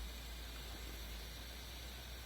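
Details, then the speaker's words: Motorcycle with ignition off: faint steady electrical whir and low hum continue while the dash stays on; the noise stops when the battery is disconnected and returns with the key switch. Owner unsure whether it is an alarm or an internal system. "but that noise remains now I don't know if that's an alarm or any sort of internal system"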